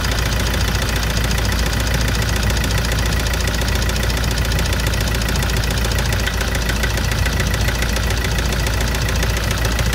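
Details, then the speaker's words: Toyota SW4 2017 with 2.8 1GD diesel that ingested water and dirt through the intake, idling after washing and new filters, diesel and oil: hard, rapid, steady knock over the clatter, heavier than injector noise; engine condemned. "É, a gente fez a limpeza, vendo, lavou aqui, lavou os filtros, colocou de volta, filtro novo, um óleo diesel novo, um motor novo, um óleo novo, mas o motor está condenado mesmo, ó. Escuta. Vamos, ó a batida do motor."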